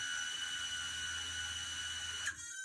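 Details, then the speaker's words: MicoAir H743 AIO Pixhawk running ArduPilot, armed via rudder stick right after eight beeps; smooth high steady whine of brushless motors spinning propellers, then winding down, normal motor spin-up. "가 여덟 번 울리면 이제 시동이 걸렸다는 얘기예요 조금 기다리면 프로펠러가 돌아가는 걸 볼 수가 있었죠"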